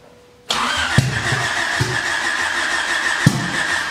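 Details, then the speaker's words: Honda Civic wagon with D16Z6 Vitara-build turbo engine, first start: catches but runs rough with sharp irregular pops like backfire; ignition timing off, traced to the distributor rotor. "I feel like like the dizzy is in a heart ad out you think so yeah let's try and switch it yeah it sounds like yeah it's like backfire"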